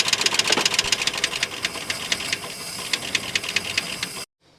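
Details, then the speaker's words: 1959 Oldsmobile 98 coupe V8, first start, fuel filter leaking: sharp fast ticking knock about four per second at idle; owner hopes it's just a dry engine, cause unknown. "okay so it does run it does have a little bit of a knock here um i think it's just probably the motor's dry i mean i'm hoping that's what it is anyways"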